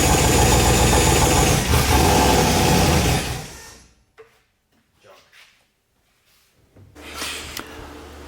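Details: RX-7 (990 HP) after cracked-piston rebuild: rapid, even idle pulse at steady pitch for about three seconds, then shut off; normal idle, a little blow-by left, far better than before.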